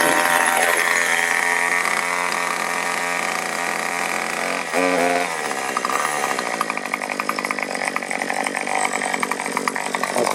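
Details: New Troy-Bilt TB2044 XP 27cc two-stroke straight-shaft gas trimmer, first start after priming 10 times: crisp buzz picks up cleanly and holds steady high rev, no stumbling; running normally.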